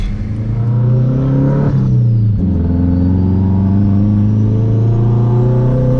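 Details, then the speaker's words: Home-built turbocharged Honda CR-V, refuelled with gasoline after running out, driving hard in first gear: strong smooth engine note climbing and settling under throttle, no misses or knocking; sounds good. "Dude, it sounds good. Oh yeah, give her hell on first."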